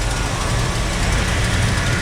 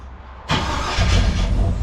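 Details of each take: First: 1956 Chevy Bel Air carbureted V8, timing set to 12 degrees with the vacuum advance disconnected; deep, loping idle with an uneven, lumpy beat; runs rough without vacuum advance. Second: 1956 Chevy Bel Air carbureted V8, warm restart during carb and timing tuning; short crank, then catches at once and settles into a steady, deep idle; restarts hot without trouble.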